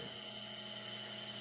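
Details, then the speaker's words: Fertilizer injection pump motor, bench-tested after fixing a loose strainer connector and checking connections: steady high-pitched electric whine over an even hum, no knocks or flutter; runs smooth. Owner doubts bad brushes or capacitor, turns to the gearbox. "We're going to plug it in here. That sounds good, runs smooth."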